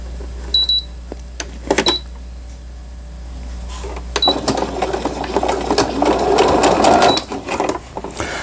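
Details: Riccar Quilt Friend digital sewing machine; slow speed is advised. Short control beeps, then bursts of even, rapid stitching of about three a second with no knocking or grinding; it sews normally.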